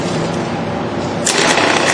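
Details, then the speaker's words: Starter motor on an apprentice-built training vehicle wiring circuit, switched with a Lucas key: steady buzzing whir without knocks or grinding, rising slightly in level partway through; the starter spins freely; normal cranking. "So Lucas put in the Lucas key now, and we should hear the starter going. So there we hear the starter going."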